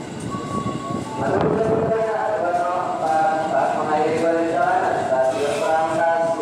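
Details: KRL electric commuter train arriving and stopping at Rangkasbitung station: wavering screeching squeal over rumble while braking; brakes suspected to need repair, not confirmed.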